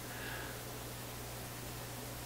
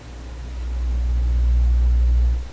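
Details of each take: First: Vacuum tube PA amplifier with 6SJ7 preamp tubes, input connectors shorted to ground: soft even hiss with only a trace of low hum; hum traced to chassis hum currents picked up through input connectors. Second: Vacuum tube PA amplifier with 6SJ7 preamp tubes, during a hum hunt with cathode bypass capacitors paralleled: deep steady low hum swells with volume, holds, then fades. Scope traces the hum entering the tube on its grid line.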